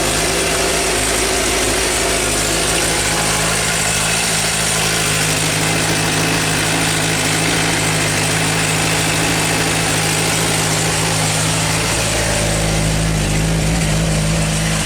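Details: Suzuki GSR 600 four-cylinder motorcycle at steady idle with fast, light metallic ticking over the engine note; owner wonders if cam chain tensioner, valve shim adjustment, or normal Suzuki noise.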